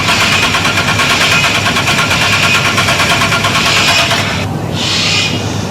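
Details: Six-cylinder engine cranking on the starter as a good reference: steady, even chuffing beat with no lazy or quick strokes, indicating equal compression across cylinders before a tune-up.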